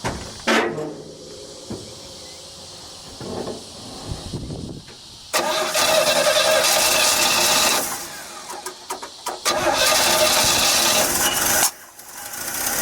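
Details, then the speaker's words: '67 Chevy C10 with a different distributor cap fitted, before more timing was added by turning the distributor: it cranks, catches and stumbles, with pops back through the carburetor. Ignition timing is too retarded and needs more advance. "Yeah, it needs more timing. Did you hear that backfire through the carburetor?"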